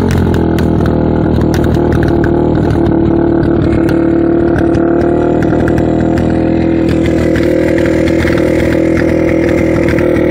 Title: Yamaha ttr 230 rough idle and sucking sound